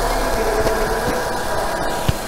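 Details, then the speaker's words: Renault K4M 1.6 16V engine after cylinder head repair and refitting genuine hydraulic lifters in place of counterfeit ones that ticked: steady even idle with a smooth low hum, no ticking right after start, no bleeding or warm-up needed. Normal idle. "сразу никакой прокачки нету у них не надо их ничего газовать греть просто эффект моментальный и шикарный тишина и мотор просто ровненько я работаю"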